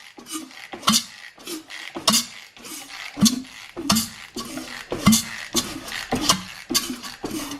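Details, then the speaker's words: Ported, rebuilt Mazda RX-7 rotary engine with glued apex seals, cranked to check compression: sharp, evenly spaced chuffs about twice a second, each as strong as the last; compression sounds healthy despite possible glue friction. "right guys so um as you can hear she's got plenty full chops which are pretty happy with that chuffs chuffs with a couple of chops so yeah yeah pretty pleased with that it sounds good anyway"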